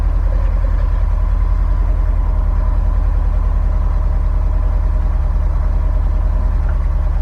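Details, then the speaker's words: Subaru STI rated 800 hp at idle, 5,300 miles on the engine, after exhaust and transmission work; deep even burble, no knocks, only normal injector tick; healthy. "for reference this car sounds nice and healthy and mileage on the engine 5 300. 5 300 miles on the engine she still sounds healthy nothing crazy normal uh injector tick"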